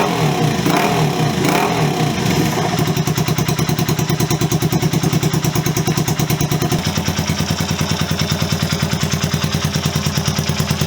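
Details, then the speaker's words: Honda CB125S at idle with a new Wemoto aftermarket exhaust: small single thumping with a sharp, loud, raspy bark on every firing pulse, far too loud, essentially unbaffled. "I'll be honest, I don't like it, and I don't say that lightly. It's just too loud. It's almost like it's unbaffled."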